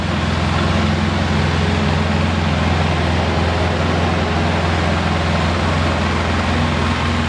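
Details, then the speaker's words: Polaris Sportsman 700 ATV idling after a head gasket replacement; not leaking, quiet, no exhaust leaks at the pipe. Smooth, even low idle with a steady rumble, no knocks, misses or rattles; healthy and settled. "it's not leaking that's how quiet it is no exhaust leaks by the white pipe that's good"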